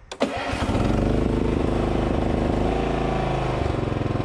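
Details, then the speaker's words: 1989 John Deere RX75 riding mower, cold start in neutral with the stiff clutch pushed down, choke on and key turned: a short crank, then it catches at once into a fast, steady chug on choke. A normal cold start. "so let's push it down throw this into choke mode turn the key"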